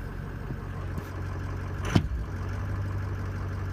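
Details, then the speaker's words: Greg's diesel truck with an EGR cooler, cold start with most sensors unplugged except cam, crank, VGT and IPR: steady low rumble, no rpm hunting, one brief clunk. It jumped only at first fire-up; normal idle. "yeah I mean it's just completely smooth right now all good everything's good"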